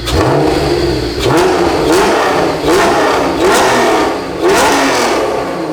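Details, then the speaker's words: 1991 Honda NSX V6 after restoration, new exhaust, warming up: crisp repeated revs climbing and falling cleanly, about four blips, smooth rasp with no rattles or misses; healthy, exotic exhaust note. "I didn't know it could sound that good. I like this car a lot. Wow. That sounds. That's a damn good exhaust. That is so good. It sounds exotic. It sounds like an old Ferrari."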